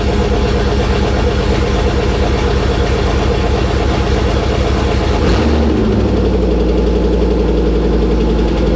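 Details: LS1 V8 swapped into a Nissan Patrol, first start with new O2 sensors, open headers: loud raw idle with steady even lope, quick throttle blip settling back smoothly; healthy, just uncapped. Wiring harness was touching the exhaust headers.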